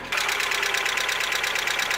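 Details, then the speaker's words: Mazda Miata, before Seafoam treatment: fast, even light tapping at a steady pace over the idle. Suspected lifter tick that has returned; cause unconfirmed. "it's probably louder on the video then in person it's pretty loud but it just sucks you know I don't like that it's kind of embarrassing"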